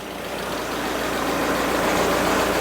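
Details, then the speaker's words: 2001 Audi TT 1.8T with upgraded turbo and forged internals, first start after full engine rebuild once oil pressure confirmed and fuel pump connected: steady, even, smooth low idle with no ticks or knocks; normal idle. "hey okay it sounds great wow all right"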